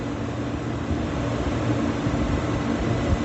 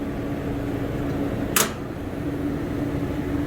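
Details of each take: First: Beer walk-in cooler condensing unit, 208V three-phase compressor, after thermal overload reset and pressure control adjustment: even, constant low hum with no clatter, surging or cut-outs; compressor running normally. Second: Beer walk-in cooler scroll compressor, pumped down with king valve: steady running hum with fixed mid tone and one sharp click, earlier a funky sound; pulls to about 20 psi then pressure rises when off, internal leak inside scroll compressor.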